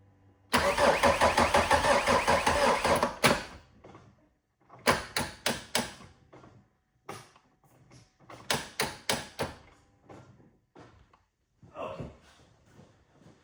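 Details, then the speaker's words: BMW E46 just after starter motor replacement: short sluggish cranking bursts that die away and restart weakly; slow cranking from a flat battery after a door was left open, needs a boost. "At least we're now trying to turn over. What do we need now? I'll tell you. We need the boost. Why do we need the boost? You see, we've got battery flat."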